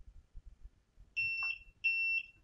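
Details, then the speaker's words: 58mm mini Bluetooth thermal printer loaded with 40x40 adhesive label roll and switched on: steady sharp beeps about a third of a second long. The paper sensor does not detect the narrow label, so a paper-out alarm sounds. "tá vendo que ele fica apitando Então é isso que acontece por quê Porque o sistema o sistema da impressora não tá identificando a etiqueta"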